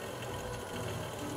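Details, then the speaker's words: Treadmill refurbished after a squealing noise from the front caused by dust and a dry belt; after applying a wax finish to the belt it runs fast with a smooth, even hum and light whir, no squeal or rubbing. "but what we did was just applied like a wax finish to that belt to moisturize it and quiet it up and now when we go fast you don't even hear nothing"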